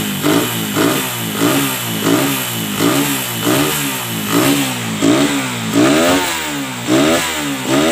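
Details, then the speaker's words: Suzuki Satria F with a PE 26 carburetor, just fitted with an air filter: crisp throttle blips about every 0.7 seconds, revs rising and falling cleanly with no misfire or rattle. Normal revving, engine healthy. "Oke teman-teman sudah mantap suaranya juga oke"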